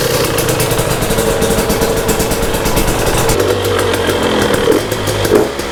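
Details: 2022 Husqvarna TE250i two-stroke after top end rebuild, final heat cycle: crisp idle with throttle blips, clean pickup and even beat; motor sounds healthy.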